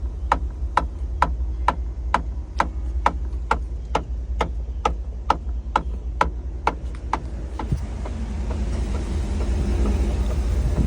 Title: 2012 Tahoe LTZ passenger rear interior quarter panel knocking noise??